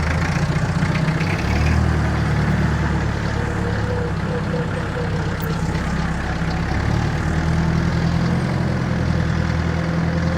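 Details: 1962 Lansing Bagnall diesel forklift with Perkins engine, after no-start repair, lifting and carrying steel: steady, even diesel chug with low rumble, no hunting or stalling; normal healthy idle.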